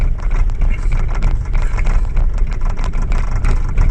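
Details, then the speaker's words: 2000 Holden Astra with hard starting and long cranking, idling around 750–880 rpm during an injector test: uneven, lumpy idle with irregular chuffing pulses; injector number three is not working properly, so that cylinder misfires. "no response so it means injector number three uh it's not working properly"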